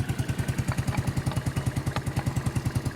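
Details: Yamaha Neo 115 scooter after greasing the kick-start shaft: even single-cylinder putt at idle, no scraping from the kick-start side, runs clean. Normal idle.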